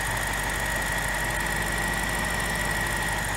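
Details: 2007 BMW X5 4.8 after thermostat replacement, front end raised to bleed air from the cooling system, water pump shown working: smooth even idle with a faint steady high whistle, no knocks or misses; healthy idle.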